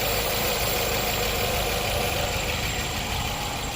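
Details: 2019 Nissan Pathfinder 3.5L V6 idling with code P0101, MAF reading too low at 3.5 g/s, fuel trim adding 30%, brake-clean sprayed around intake; loose, uneven, lumpy idle; rough idle.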